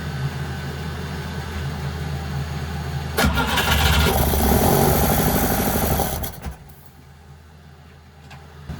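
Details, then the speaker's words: Sailboat gasoline inboard engine, gasoline primed into flame arrestor and choke throat: steady starter cranking about four beats a second, briefly catches with rough burst then dies; fuel-related no-start suspected. "Well, so that worked a little bit. So I'm not sure what to do next."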